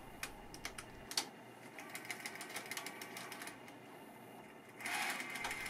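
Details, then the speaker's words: Sony EV-S9000E (EV-S7000) 8mm video recorder gives a regular plastic ticking during fast wind and eject, then aborts; the cause is a split supply or take-up spool gear whose plastic has shrunk over time. "you can hear a regular ticking noise from the mechanism and after a few seconds it aborts"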